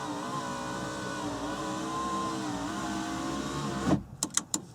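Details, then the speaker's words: 1994-1997 Honda Accord passenger door after lock actuator replacement, window switch reconnected: window motor runs with steady even hum, no catching or grinding, goes up smoothly, clean stop and clicks. Normal power window operation. "and goes up smoothly."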